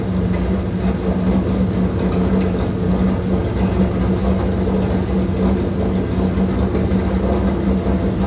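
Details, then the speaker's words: Old engine at first start after a timing belt job, with a burst fuel line: a loud, deep rumble with a coarse, uneven beat, likened to a demolition derby car. Rough running, cause unclear. "I'll be honest. This kind of sounds like a demolition derby car."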